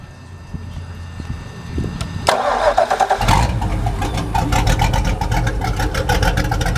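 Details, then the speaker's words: Mercruiser 383 Magnum stroker multiport-injected marine engine with about 35–40 hours cranks, catches within a second and settles to a steady even idle; the only sound is a light fuel injector click, so it runs like new. "just like you would expect it just runs like a brand new motor the only thing you can hear clicking is a little click of the fuel injector the only thing you can hear in this motor anywhere she's a real good motor"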